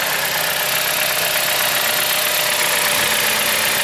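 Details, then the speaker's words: 2007 Chrysler Sebring idling after new valve cover gasket (old one hardened and leaking) and new belt: even idle with light regular ticking under steady hiss, no knock or miss, no leaks; engine sounds good, normal idle. "It sounds good. It's got a new belt, new valve cover gasket. This engine is happy right now."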